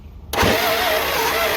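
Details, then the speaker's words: 1963 Chrysler New Yorker limousine, sitting since 2003, after correcting backwards firing order; starter barely turns, fire from exhaust manifold, engine catches and settles into steady, slightly uneven idle; starts and runs. "Fire coming out the exhaust manifold. Go ahead. That's American muscle right there."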